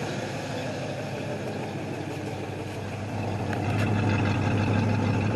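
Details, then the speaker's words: 1968 Ford Mustang coupe, off the road 15 years, carburetor with working choke, at idle while warming up after recommissioning; smooth even low beat, no misses, firming slightly, doesn't smell rich; runs clean and healthy. "sounds good doesn't smell rich yeah i think we're sitting right where we need to sit"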